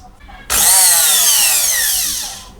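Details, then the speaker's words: Bosch MSM6250 400 W blender motor on first power-up after short check: high smooth whir spinning up instantly and winding down evenly, no rattle or grinding; normal running, no fault found. "I don't see any problem with this guy. Sounds very good."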